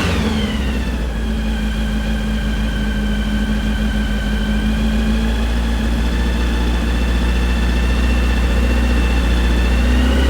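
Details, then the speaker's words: Brand-new 2332cc air-cooled VW flat-four Manx buggy engine, dual Weber carbs, on startup stand during first break-in: strong, even beat at steady fast idle, no knocks or ticking; healthy. "We'll get it up to about 2,000 RPM, and we'll let it run there for about 15-20 minutes just to break it in."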